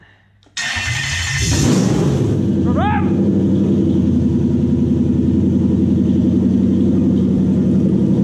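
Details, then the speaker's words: Toyota 1UZ VVTi V8 in a 1947 Ford pickup, A650 auto, Link Storm ECU and Motec PDM, start after new cabin wiring: brief crank, catches and settles to steady even idle, no knocks or misses; fuel pump circuit works, normal start. "so the fuel pump circuit works we're all looking good motor runs"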